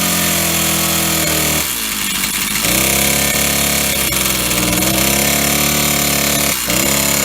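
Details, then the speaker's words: Old Stihl 08S chainsaw, first start in a while on old gas, running off choke with the cut-out switch not working: it revs high, then sags and labours in a log, very low on power, with knocking from the top or bottom end; cause not confirmed. "so it's definitely knocking and uh either on the top end or bottom end she's quite loud there she's uh very low on power she really struggled with that log there"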